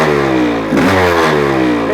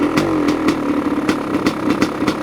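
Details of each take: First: 1985 Honda CR500 two-stroke engine in a 2007 CRF450R frame, just built, choke off, muffler fitted: revs up and back down with a slightly soft, blubbery exhaust edge; runs but still a bit rich and smoky. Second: 1985 Honda CR500 two-stroke engine in a 2007 CRF450R frame, choke just turned off, muffler fitted: crisp, even crackle at idle through the muffler with a steady beat, no knocks or rattles, smoky and still a bit rich; normal idle.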